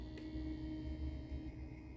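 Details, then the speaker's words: iCSee camera after reassembly with motor replacement, at power-up: small DC 5V motor hums steadily as the head turns smoothly, no grinding or catching; normal pan-tilt rotation. "Pronto, já fez o processo dela de girar. A cabeça dela mexeu, movimentou."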